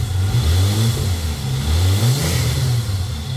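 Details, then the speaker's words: Holden Commodore VS Ecotec V6 idling and blipping after wax was applied to a degreaser-dried drive belt: deep even note, squeal gone; a slight grinding from the tensioner pulley remains. "I'm just standing here listening after we put that wax on the uh the dry belt there and it's quien it down quite a lot no more squeaking as in here"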